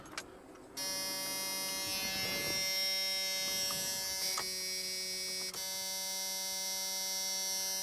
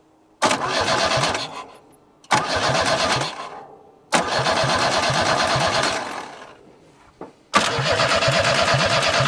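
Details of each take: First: Junkyard Chevrolet S10 pickup with borrowed battery, key on: steady, even high-pitched electric buzz holding without wavering; fuel pump priming normally, pump works. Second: Junkyard Chevrolet S10 pickup, crank no start: three short cranking bursts then a long steady crank at about three beats a second that never catches; fuel sprays and it only tries to fire on key release; distributor faulty.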